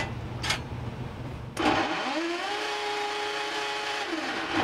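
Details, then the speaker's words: Whirlpool WGD4900XW0 gas dryer, complaint of a loud noise during operation: on startup a loud droning hum rises to a steady tone with a rough rushing edge from the rear blower housing; debris that fell through the lint filter is rubbing the blower wheel. "so looks like we got and that's definitely where the noise is coming from the blower housing from the back here so we definitely have something that fell down through our lint filter here got into the blower wheel compartme"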